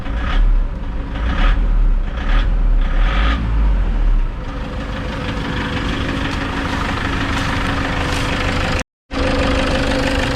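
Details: Toyota Innova D-4D diesel idling with heavy rhythmic knocks about once a second, then a rough droning idle; codes P0106 and P0069 (manifold absolute pressure circuit and barometric correlation), cause suspected, not confirmed.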